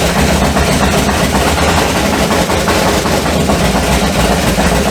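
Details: HT Holden with a swapped 253 V8, first start on open straight headers: a loud, raw V8 rumble running evenly with no knocks or ticks, the engine sounding healthy.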